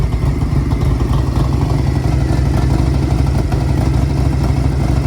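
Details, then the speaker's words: $200 auction Harley-Davidson big twin on choke: fires and settles into a steady, deep, even loping run with no knocks or misses, a good-sounding motor, though the carb needs a rebuild for hesitation. "I'm telling you what, that's a good motor, right? I mean, that motor sounds good. Jeez, I got to keep running on. I have it choked."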